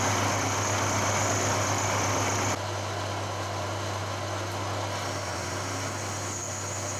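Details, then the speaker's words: Colchester lathe rear parting tool holder job, milling a malleable iron base with a resharpened carbide end mill in 5 mm-deep passes toward a 22 mm-deep slot: steady hum with a smooth cutting hiss and no chatter. Normal milling cut. "so uh that cut is doing really really well given that I abused it and broke it it's uh it's cutting really nicely"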